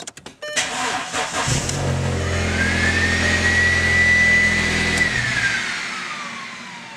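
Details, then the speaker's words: VW Passat secondary air injection pump heard running, rising whine settling to a steady vacuum-cleaner tone, then winding down after engine shut-off; loud exhaust leak present while running. Pump working, so fault would lie in hoses or combi valve. "time there we go it's winding down so yeah if you're uh so if you're uh if you can hear your air pump here's what you do next"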